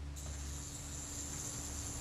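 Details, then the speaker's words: Kodak Retina Reflex IV camera shutter, self-timer after cleaning its retard gear train in solvent and relubricating: even, steady high buzz as the self-timer runs down, no catching or sticking; normal smooth run-down. "You can probably hear that buzz as the self timer runs down. It's nice and smooth."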